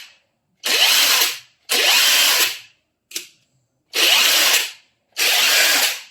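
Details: Aftermarket Makita-style IFASEN 21700 15000mAh battery on a full charge, running an impact wrench free at mode 3, speed 3: four full bursts and one short blip of high whirring, each spinning up evenly and cutting off cleanly; healthy, and the battery later reads 20.1V.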